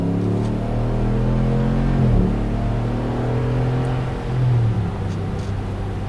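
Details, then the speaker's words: Truck after a new driveshaft was fitted, balanced with an indicator but no weights added: at 70–80 mph a steady low road and drivetrain drone with no hum or vibration; normal driveline at cruising speed. "It seems to be doing all right. That was 80 miles an hour. I got no hum up here at 70. It feels fine. No vibration whatsoever."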